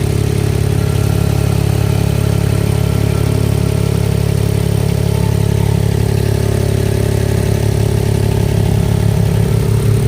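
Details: Mahindra XUV 3XO MX1 idling with a light, even tractor-like tak-tak tapping about two to three times a second on top, before the fix; a loose heat shield plate rattling underneath.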